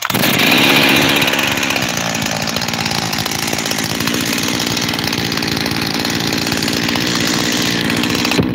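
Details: Freshly rebuilt Husqvarna 372 XTorq chainsaw with new bearings: raspy buzz that never settles to one idle speed, two idles; owner suspects a leaking transfer cover gasket, unconfirmed, and plans to remove and reseal it.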